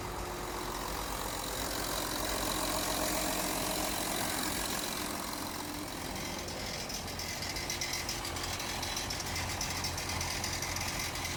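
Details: Audi Q7 3.0 TDI diesel idling with a light steady ticking, about four a second, from start-up; thin white smoke appears from the front underside after a few minutes idling, no warning lights; cause unknown.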